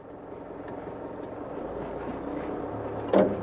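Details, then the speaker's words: Toyota Land Cruiser 150 3.0 D-4D in Drive with crawl control, crawl speed adjusted without pedals; low steady rumble, soft modulating hiss, single clunk near the end. Normal crawl control operation. "Și mașina răspunde așa cum auziți."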